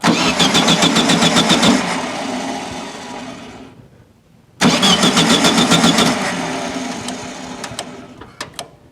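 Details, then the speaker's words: 1974/75 VW Super Beetle after ignition rework with a new Pertronix: starter churns steadily about four turns a second, twice, no firing; fuel smell present, so it is getting fuel. "all right got nothing yet I smell fuel so it's getting fuel"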